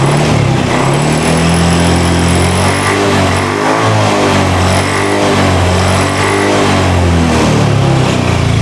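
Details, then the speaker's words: Honda Scoopy/Beat FI scooter after fixing hesitation on initial throttle, traced to a faulty side stand switch cutting current. Engine rises and falls smoothly with each blip, no stumbling or cutting out; pulls clean and light. Normal revving. "Oke, normal, sudah tidak berebet lagi. Pada saat digas awal tarikan lebih enak, enteng."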